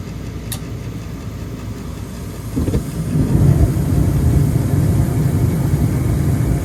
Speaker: well I think if I can get it going this is going to need to be replaced it sounds like it sounds terrible